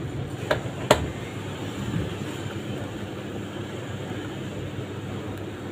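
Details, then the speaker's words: LG 15kg front-loader with a rough sound and a loose, wobbly drum: the drum turns with a coarse, steady low rumble, before the bearings are replaced. Worn drum bearing rumble. "Mesin cuci LG ini suaranya kasar, kita cek drumnya ya. Oh, ini drumnya oblak. Nah, ini kalau drum oblak begini nih kemungkinan besar bearing amrol."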